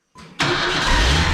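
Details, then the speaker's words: 1994 Chevy S10, unused for some time, after replacing the old starter with a new one; starter engages sharply and spins the engine over fast and even with no grinding or dragging, healthy cranking. "when you go from an old starter to a new starter it's one of those things that's like oh wow you hear that thing just spin right over listen to it before and now after"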